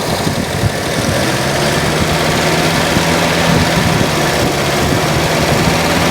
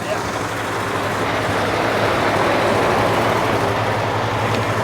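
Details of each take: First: 1949 Ford flathead, abandoned in desert since 1977 and freed from being locked up, possibly with thermostats; steady, even low idle rumble, smooth and unbroken with no knocks or misses; runs very well. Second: 1949 Ford flathead abandoned in the desert since 1977, seized engine freed and now running: steady, even but fast idle with a busy exhaust beat; idle speed is set too high and needs turning down.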